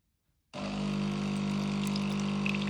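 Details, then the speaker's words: DeLonghi Magnifica automatic coffee machine warming up at switch-on and releasing hot water into a mug: a click, then a steady low pump hum with trickling water; normal hot-water dispensing. "Once it's warmed up, it'll release some hot water. I quite like to use the mug that I'm going to use for my coffee because it just helps heat the mug up. So there's the water coming out."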